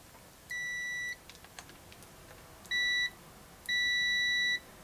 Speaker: and by the way it defaults to continuity which is probably nice because you probably do that more than you die check and uh same kind of thing there's pretty short i didn't notice that the first time but that'll work better now that's does that sound a little bit louder